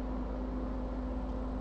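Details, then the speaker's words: ASUS ROG Strix GTX 1070 Ti graphics card fan after refurbishing (regreased, glued mount), running quiet and even with no ticking, rattle or scraping; normal fan running. "nice just quiet as a whistle and then upside down that's where most of the fans run at"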